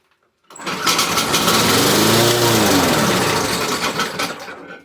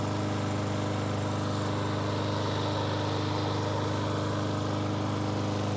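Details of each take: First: Briggs & Stratton 475 push mower, primed three times then pull-started: fires, revs briefly, then dies within seconds from fuel starvation; runs only on primer fuel, owner suspects fuel issue; later fixed with new intake tube and carburettor diaphragm. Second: Briggs & Stratton 475 lawn mower after replacing the broken intake tube and carburetor diaphragm and cleaning: starts straight away and runs with a steady, even single-cylinder drone and no misses or surging; healthy.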